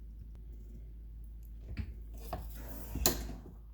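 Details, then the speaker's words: Frigidaire dishwasher door after its squeaky cheap plastic part was replaced with a bolted-on store-bought part: soft thuds and light clicks, no squeak, now nice and quiet. "nice and quiet got a little twiggy thing right there i might be able to fix anyway"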